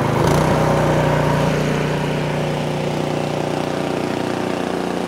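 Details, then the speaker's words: Craftsman snowblower after recoil restart, choke in run, throttle slid to full; smooth, fast, even drone at one steady pitch with no misses or sputters: normal full-throttle running. "and just like that you're up and running again"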